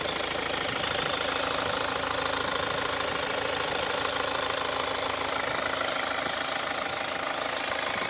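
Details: 2017 Mazda CX-5 2.2 diesel, 58,000 km, push-button started and idling: sharp, very regular tapping about three per second over steady clatter; abnormal engine knock, cause unknown.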